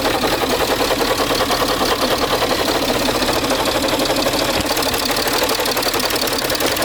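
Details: Peugeot 607 2.7 HDI diesel idling with a harsh, scratchy grinding and fast clatter over the steady engine note.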